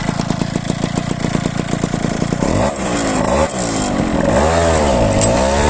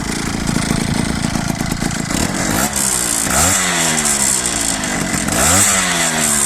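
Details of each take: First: Ciao moped with a Polini 65cc kit: a steady two-stroke buzz, then revs sag and hesitate on pull-away; this flat spot comes from the variator torque spring being too soft, not from carburation, and the spring is to be replaced with a stiffer one. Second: Peugeot Ciao moped with Polini 65cc kit, stationary with air box and filter fitted: harsh two-stroke buzz blipping up and falling back, no intake scraping or clacking that occurs without the filter; normal intake noise.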